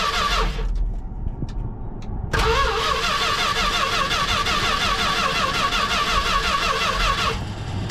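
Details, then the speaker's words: 1973 Dodge W200 truck, reportedly new carbureted V8 engine, first start after fitting a gas tank and a borrowed battery; short cranking, catches about 2.3 seconds, settles into even steady idle, no misses or knocks; normal cold start. "that fires right up we got a little bit of gas to it carburetor she's running real good man that idle is good gas tank battery fired right up heck yeah all right she's idling"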